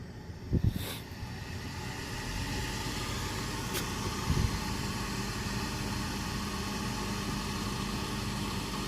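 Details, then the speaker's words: Trane rooftop unit overheating a store, suspect heat exchanger, gas at about 7 inches water column on manometer: sharp thump at light-off, another bang seconds later, then steady roar; rough, terrifying burner ignition, gas pressure later found not the cause. "that was terrifying we're still sent out about seven inches of water column shut this off turn our gas back off real quick"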